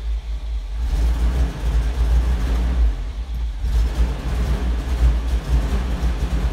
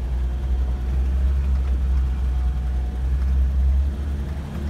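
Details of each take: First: 1984 Toyota Land Cruiser 45 with 2F petrol engine that stalls after about two minutes: uneven, lumpy idle with a surging low rumble and dips, near stalling. Misfire from a failed ignition coil, caused by a ballast resistor removed for a breakerless distributor. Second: 1984 Toyota Land Cruiser 45 with 2F petrol engine that used to stall after about two minutes, after a failed ignition coil was replaced: a steady low rumble driving smoothly under light load over a bumpy paddock, no stumbling. Runs healthy.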